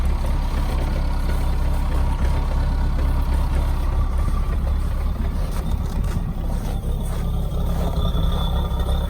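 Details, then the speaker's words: Mahindra Roxor diesel, 96.4 miles and 21 hours, cold start after intake grid heater: steady low diesel rumble idling rough initially, unevenness settling as it should smooth out after about a minute; normal warm-up idle. "you can hear it idles very rough initially after about a minute it should smooth out"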